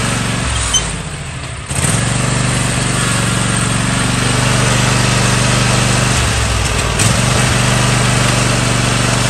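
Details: Toro TimeCutter riding mower that cuts out when the handles are moved or the blades (PTO) are engaged: small engine runs steady but sags twice as if cut, then recovers; intermittent shutoff from a failing, rusty switch.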